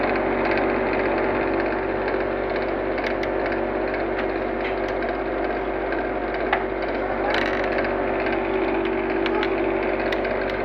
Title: blue star ac sound problem bad product bad service